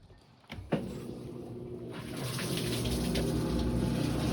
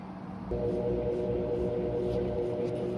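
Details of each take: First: GE washer on drain and spin: deep rumble builds with rapid flutter about four beats a second, sounds like transmission; drive belt off and motor pulley damaged, control board also involved. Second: Crosley (GE-like) washer after control board, motor pulley and belt replacement, tested on drain and spin: motor kicks in after half a second and settles into a steady, even hum, no knocking or grinding; running normally.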